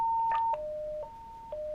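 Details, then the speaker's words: Portable radio in emergency state: sharp alternating high-low electronic tones repeating about every second over a quiet room; emergency alert active, cleared by press-and-hold, talking still possible. "again it's saying that f-16 is is radio as an emergency while it's in the emergency state we hear that that beeping you can still talk over this radio"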